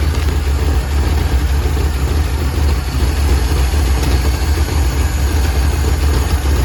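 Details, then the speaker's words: 1949 Ford Shoebox engine, recently converted to 12-volt, running rough and smoking; low, lumpy idle wavering in strength instead of running evenly; rough running. "running Rock got it I got it smoking right now but it's running rough"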